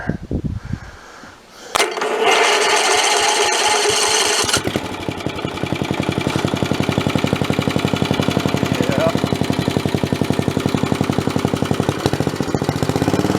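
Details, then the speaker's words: Old Snapper 3018 mower engine, started with booster cables and the starter cover off: the noisy old starter grinds briefly, then the engine catches into a steady, even beat of about four firings a second; normal running. "yeah I'd say that's probably what was going on so it runs pretty normal right there"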